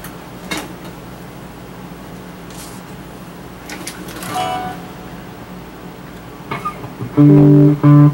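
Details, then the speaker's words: Early-1970s Acoustic 470 guitar amp: tapping the reverb tank still sounds, so the pickup side works, but guitar notes come through dry and flat with no spring-reverb tail; failed reverb drive circuit. "okay so right away if i tap it i can hear that i can hear the reverb tank so the pickup side of it seems to be working but if i"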